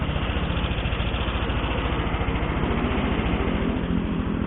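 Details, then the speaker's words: Yamaha NMAX 150 scooter, 3.5 years old, 74,000 km daily use, at idle: fast, busy mechanical chatter over the exhaust beat, louder than it should be; owner suspects worn, loose piston rings, unconfirmed. "suaranya agak berisik ya mungkin karena dari faktor ringnya udah-udah How sudah banyak gamenya udah toleransi setelahnya udah-udah longgar lah udah aus"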